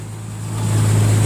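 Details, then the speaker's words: Nissan Xterra with code P0132 and misfire, idling after the fuel injectors were reinstalled, new ones still awaited: low droning V6 idle that swells without smoothing out as cylinder number three drops out from a bad injector; engine visibly shaking. "number three on this side right here is the one i'm having trouble with and you can see the engine is not quite running 100 but"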